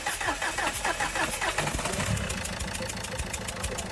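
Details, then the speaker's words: Renault Duster diesel with long cranking on morning starts: cranks into an uneven lumpy idle with irregularly stumbling beats; misfire caused by combustion compression leaking past number 4 injector, which looks burnt. "चार number injector से compressor leak हो रहा है इसके लिए गाड़ी miss पार कर रही है स्टार्टिंग की प्रॉब्लम ले रही है"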